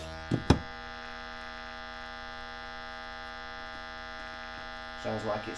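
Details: 1968 Selmer Vanguard valve amp, unused for years with some tubes missing, channel two worse than channel one: a loud, constant low buzzy hum. Transformers are good; failing capacitors are suspected, not confirmed.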